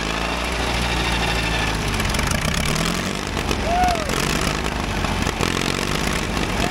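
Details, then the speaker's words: Caterpillar dozer diesel parked since 1992, first run after adding diesel to the pump: steady, even low chug at idle with no knocks or misses; stubborn to start but runs smoothly now. "oh yeah well I tell you what that thing was stubborn it sounds like it runs pretty good now first time since 1992."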